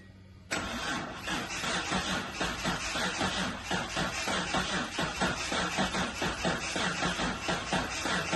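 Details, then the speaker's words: 1983 Datsun 280ZX that sat 18 years, after starter replacement and a battery borrowed from another car: fires immediately and settles into steady, slightly lumpy idle; failed start was caused by the battery. "We got it running. The problem was the battery. I stole the battery out of the 620 here, threw it in the 280, and obviously it started right up."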